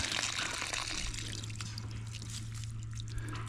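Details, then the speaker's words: Water well pump after repairing a broken sucker rod: steady splashing water from the pipe with scattered drips, no knocking or rod clatter; pump rods moving true, normal water discharge. "all our pump rods going up and down nice and true that's what it's supposed to do we're making water"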